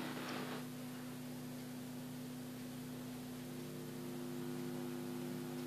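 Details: Sony SRS-A205 powered speaker: steady low hum with a faint hiss with nothing playing, audible for years.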